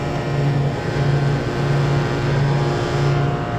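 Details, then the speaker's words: Walk-in freezer compressor restarted after its start components blew up, likely from a burnt wire. Steady, even hum with no clicks or rattles, drawing 9.3 amps. Normal compressor running. "so you can hear the compressor's running start it up just fine 9.3 amps is not too much"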